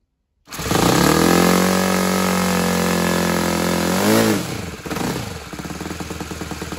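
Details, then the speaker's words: Saito 100 four-stroke nitro RC engine on test stand after valve timing reset, restored compression: fires straight up to a clean steady high buzz, revs down and back smoothly, running rich before low-end needle is leaned; normal running. "look at that sounds rich so I'm going to close this one turn here I'm adjusting the low end needle valve I'm going to go ahead and turn that in and so that'll lean that out for the better idle"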